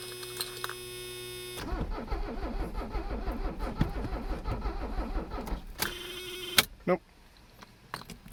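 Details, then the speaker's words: Abandoned Mercedes 300CD diesel cranking on the starter at about three beats a second with no firing at all, then stopping as the battery runs down; owner had outrun the glow plugs and suspects low compression or air in the fuel lines, not air supply. "Something's going on with her. It's obviously not air related. She's getting plenty of air, so she's probably just not making compression."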